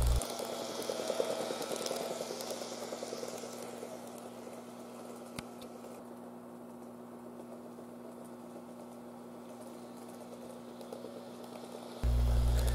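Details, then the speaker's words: N-gauge model train power car making strange noise while running: a small motor hums under fast, uneven rattling chatter. "今日はですねえ模型を発射してるんですけどもなんかやたら異音するんで直していこうと思います"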